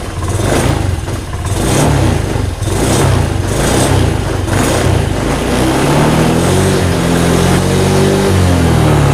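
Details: Honda Beat Deluxe scooter after stalling in about 40 cm of floodwater (coil-to-plug wire suspected): engine catches and runs, revs rising and falling about once a second, smooth and steady; running normally again.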